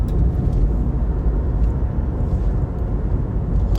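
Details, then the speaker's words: Brand-new Samsung dryer: low, constant scraping and grinding rumble as the drum turns, no clean hum; the drum is rubbing against a pushed-in cabinet panel. "Now, this was a brand new dryer customer bought and you can hear the noise. So, we're digging into it to find what the issue is. Something is grinding or rubbing."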